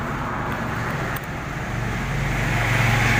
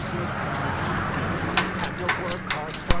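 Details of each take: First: Swaraj 735 FE tractor with a Lucas TVS starter, after the starter was opened and cleared of a clicking no-start fault: the starter spins the diesel over with an even, steady churn and the engine catches; cranking sounds strong and healthy. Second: Swaraj 735 FE tractor with Lucas TVS starter, no start: about seven sharp clicks, roughly four per second, with no cranking; starter must be opened to find the fault.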